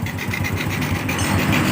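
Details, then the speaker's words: Freshly rebuilt Honda Revo Absolute engine idling evenly with a faint airy hiss from the carburetor running without its air filter; noise goes clean once the carb intake is covered. "Cuman ada sedikit suara berisik ini dari sini, ya. Cenderung dari suara karburator yang tidak ada filternya."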